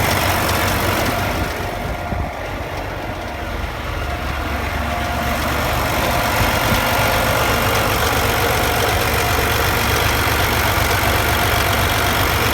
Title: MX Engine noise